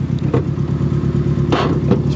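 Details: Car at idle after the spark plug wires were fiddled with: an uneven, lumpy idle with irregular stumbles and loud clatters; rough running, owner says the timing belt is not doing well, cause not pinned down.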